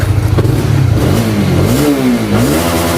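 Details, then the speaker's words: Honda CBR (new model) motorcycle after replacing the cam chain tensioner rod: engine blips up and settles repeatedly, pitch rising and falling cleanly with no ticking or rattle; normal revving, tensioner good. "Jika batang penegang tidak bermasalah, pasti akan tetap berjalan lancar meskipun digas berulang kali."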